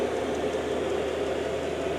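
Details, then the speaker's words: Chinese diesel heater in a workshop, air intake drawn from the garage, warming up: steady even fan rush with constant low hum, no ticking or scraping; blower running normally. "yeah she's warming up now a little fun here is sucking away"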